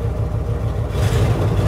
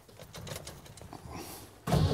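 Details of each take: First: Pickup truck engine after fuel pump test; previously cranked without fuel because the line had emptied, now it starts and settles into a steady, even low rumble with no stumble or misfire, fuel pump confirmed good: normal running. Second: Car cranked in two long steady starter bursts without catching, no fuel pump sound heard; spark already checked; crank no start from no fuel pressure.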